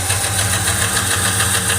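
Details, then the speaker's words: 2012 Chevrolet Silverado 5.3 V8 at idle, valve cover off on one side: sharp quick tick repeating with engine speed from a failing roller lifter. "pues hoy me encuentro trabajando en una chevrolet silverado y pues les voy a mostrar como diagnóstico un lifter roller en mal estado"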